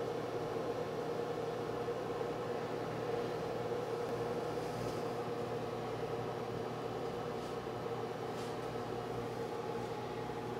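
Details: New GE over-the-range microwave, model JVM617SDK1WW, tested after installation: steady, even hum from magnetron and fan with no rattles, buzzing or grinding; running normally.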